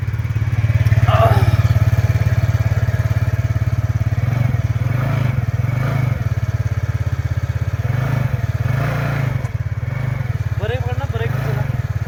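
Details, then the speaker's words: TVS Ntorq scooter after refitting and properly tightening the nut behind its one-way clutch noise: even steady idle with rapid regular pulse and some revving, no rattle or clatter; noise gone, running normally. "पकड़ो break जैसा कि यहां पे हमने जो है इसकी आवाज को जो है पूरी तरीके से बंद कर दिया है।"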